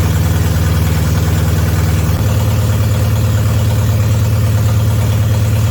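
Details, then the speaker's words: BMW 316i E46 idling after a second start, following clutch, flywheel and engine reinstall and four and a half years off the road, with no exhaust fitted: very loud, deep, even drone with a slight pitch step midway. Runs smoothly. "we don't have any kind of exhaust so it's going to be loud extremely loud"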